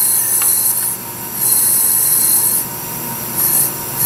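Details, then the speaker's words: Honda Civic 1.7, towed in with crank-no-start, engine off during a cylinder leak-down test: pulsing hiss of air surging and fading as it escapes the pressurised cylinder past bent valves, possibly leaking on both intake and exhaust. "blowing out this cylinder here I don't know if it's leaking on the intake and the exhaust"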